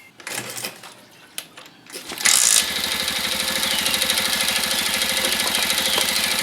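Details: Motorcycle with a dry battery refilled with distilled water and recharged to about 12–13 V, electric start unusable so kick-started: a few kicks, catches at about two seconds and settles into a steady, even idle; runs normally.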